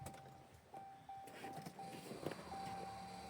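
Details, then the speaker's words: Ram 1500 outdoors at minus 24 in Ontario winter after fuel pump replacement, battery charged and popped ignition coil fuse fixed: with key on, faint steady electric hum in short stretches in a quiet cab; fuel pump priming normally. "Yep, it's priming right now. Battery's been charging for a while."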